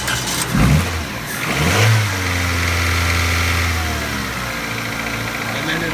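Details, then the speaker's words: 2003 Toyota Corolla after starter replacement and a starter wire reseated: engine cranks and catches only with throttle held, revs then sags as the pedal eases; won't hold idle on its own, so the fault is no idle, not no start. "and it still isn't idling so that's what I would describe the problem that we're seeing is that the car isn't idling not that it won't start"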